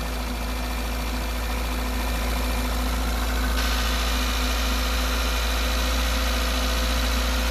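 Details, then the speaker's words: Peugeot 205 TU petrol engine after timing belt work, idle lowered slightly while the cooling system bleeds and a low-coolant warning light is on. Even, steady idle, smooth low hum, no knocks or rattles. "J'ai baissé un peu le régime moteur."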